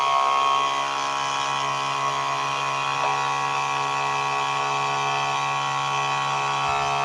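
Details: 12 V DC high-pressure diaphragm pump ("hiu") run at a raised 16 V in a noise test, sound meter about 94–95 dB with or without load: a steady, very loud buzzing whine at constant pitch, running hard but normally.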